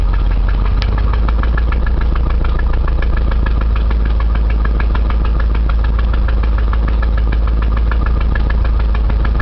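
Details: 1989 Chevy Camaro at idle: hollow knock about three to four times a second deep in the block; internal engine knock, owner was told rod knock, unconfirmed.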